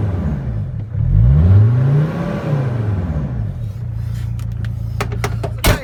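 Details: Mercedes Sprinter diesel van, 421 thousand, muffler cut off to cure turbo over-boost condition; cranks, catches with rising roar, settles to loud steady low idle drone through open pipe; runs normally.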